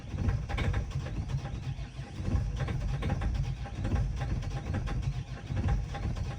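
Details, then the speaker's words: Great Wall Hover H5 4D20 diesel at 213,000 km, a complaint the owner also had: rough, uneven chugging with irregular deep thumps as it struggles to catch; a hard start, injectors suspected despite a recent injector repair. "It starts very poorly, the owner also complained about this."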